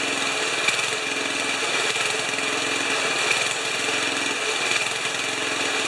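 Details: 1973 Tecumseh snow blower engine, first run after carburetor reinstall, on choke. Fast, even single-cylinder buzz with a bright rasp on top, firing steadily without stumbling; normal running.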